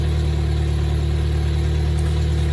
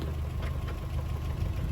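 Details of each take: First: Toyota 4Runner first-gen 22RE after engine rebuild with new head, warming until thermostat opens: steady, even low idle with no knocks, ticks or misses; engine running properly. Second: Toyota 4Runner 22RE after a full engine rebuild with a new clutch, during break-in: a fast, even ticking knock in step with the idle is the fan shroud hitting the fan, which needs adjusting, not an internal knock.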